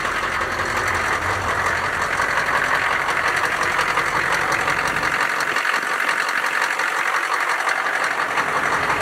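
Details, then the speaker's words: Sector 9 bus/truck engine idling just after start-up following replacement of a squeaking part and reassembly of the intake/airflow parts; steady even mid-pitched hum, no squeal or chirp. Belt problem possibly not fully solved. Normal idle. "Need a test drive to solidify, but it's looking good, boys."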